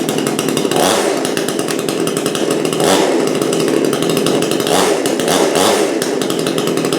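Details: Brand-new Supmix 6250/6251 two-stroke chainsaw that at first would not start or run. It buzzes steadily at high speed, blipping up several times and settling back cleanly. Normal running.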